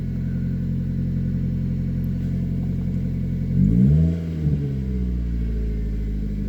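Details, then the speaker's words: 1999 Mazda Protege four-cylinder just started after cleaning the MAF sensor: runs evenly with one short throttle blip settling cleanly to steady idle; took a minute to start, owner hopes cleaning fixes the main problem. "so did you hear it kind of it took a minute for it to start up"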